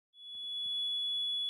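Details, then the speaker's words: APC Back-UPS XS 900 beeping a continuous high-pitched overload alarm with no real overload, caused by a bad, noisy internal 40x10 mm 24 V DC brushless cooling fan; the fix is replacing the fan, and no battery replacement is needed. "APC back-ups XS 900 saying it's overloaded and beeping at you when you know you don't have an overload can you hear a noisy fan then you need to replace that fan"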